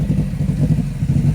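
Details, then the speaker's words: Subaru run deliberately until fuel empties from the lines, before a high-flow fuel pump replacement for a fuel delivery issue. Uneven, lumpy firing with missed beats dies away as fuel runs dry: engine stumbling from fuel starvation. "all right it sounds really bad but I promise you we're trying to get rid of the gas that sounds so bad"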